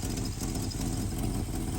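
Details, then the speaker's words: V8 at idle, vacuum advance disconnected, during digital timing light adjustment that leaves timing unchanged: deep, even burble holding a steady idle with no knocks, misses or surges; healthy. "timing did not change. You can hear the engine. It didn't change."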